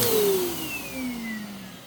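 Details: Bissell PowerClean OnePass (35831) vacuum, used Goodwill unit, after its clogged filter was cleaned and airflow unblocked: high motor whine falling in pitch as it spins down, with a slightly rough edge. The motor is still noisy; owner suspects bearings or impeller dirt, unconfirmed.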